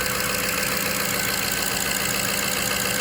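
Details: 2003 Jaguar XJ8 (X308) V8 after replacing bank 2 upstream oxygen sensor (P1647), not yet at full temperature, some coolant lost: even, steady idle with constant hiss, no stumbles or knocking; healthy idle.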